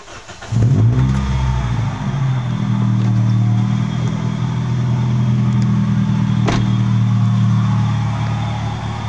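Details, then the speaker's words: 2005 Toyota Vios G, complaint of an odd rough engine noise at start-up. Engine catches and settles into a gravelly drone with an uneven rumble, a bearing-type sound. "ini seperti suara bagian bearing diantara luar ya antara luar di bagian bensin yang ini tapi kita akan reset dulu untuk bagian yang mana yang mengalami suara kerok"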